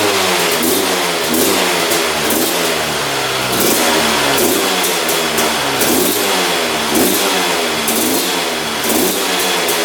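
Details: 2001 Honda CR250 two-stroke that the seller said would not run, just fired on the choke; raspy revs rise and fall in lazy blips, smoking a lot, with poor throttle response; owner suspects rich running or fuel mixture, unconfirmed.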